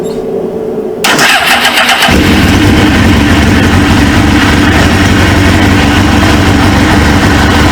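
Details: Abandoned 1999 Suzuki GSX-R 750, first start after fitting a used replacement engine, kickstand switch bypassed, fuel rail o-ring suspected of leaking: brief quiet, then the starter catches and it settles straight into a steady, even idle with no misses.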